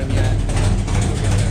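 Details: 1972 Buick Skylark with a freshly installed 427 V8 on first fire for break-in, timing checked: deep, steady low rumble with an even beat and no knocks or ticks, healthy smooth idle; exhaust has an open O2 sensor hole.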